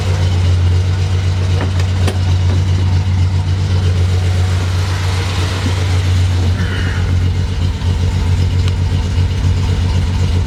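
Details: Datsun 240Z carbureted engine after fixing a leaking balance tube gasket found by smoke test: steady low rumble holding idle at 1000 rpm without hunting; carbs not yet tuned.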